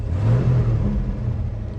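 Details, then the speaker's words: 1972 Ford XA Falcon, off the road 16 years, quarter temperature, no warning lights: quick clean throttle blip, revs climb promptly and settle smoothly with no stumble; healthy throttle response. "Okay, so in here we have no warning lights. We're at a quarter temp, and the throttle response is actually, that's actually really good."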